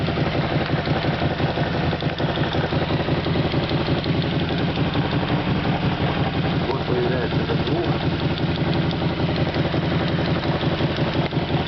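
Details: SF Moto X8 quad, cold start: about 1.5 minutes after starting, an intermittent ringing valve-like tick over the idle beat from the lower left side of the engine; heads and valves checked fine; vanishes once warm; source unclear.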